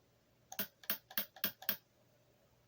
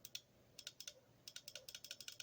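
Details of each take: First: Bench test of a rebuilt replacement transmission valve body for a Rabbit, solenoids powered from a 12 V battery. Crisp, firm clicks come in a burst of five, then two more. This solenoid is switching properly. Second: Bench test of a rebuilt Rabbit transmission valve body. Bright clicks come in quick bursts. This solenoid still actuates, but its coil resistance measured out of range, so it will be swapped for an old in-spec one.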